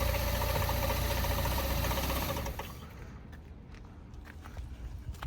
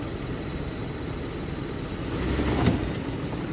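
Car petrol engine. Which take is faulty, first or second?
first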